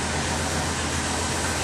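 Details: 1964 Pontiac Catalina V8 with 29,529 original miles, just started for the first time since 2009 storage with little cranking: short burst of smooth, even idle with a steady low rumble, no misses or knocks; normal idle.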